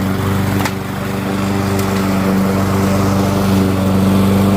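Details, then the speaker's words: Curb-found Weed Eater walk-behind mower, single-cylinder: steady even buzz under light mowing load, no misses, surges or knocks; runs good. "we'll take it. Runs good."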